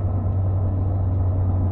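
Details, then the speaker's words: Old BMW E31, cruising with light throttle, heard in cabin: deep booming drone with whole-car vibration felt through floor, not steering wheel, gone off throttle; suspected driveline fault (propshaft, guibo, centre mount, mounts), not confirmed. "so cruising again slight touch of the throttle and it's back you must be able to hear that that's booming the whole car's vibrating now"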